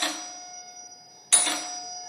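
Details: Electric stroke bell in a classroom demonstration, working on the make-and-break principle: a coil magnetises and pulls a spring-mounted strip against the gong, which must be mounted with a gap to ring. Two crisp metallic strikes about a second apart, each ringing clear and dying away evenly; the bell works properly.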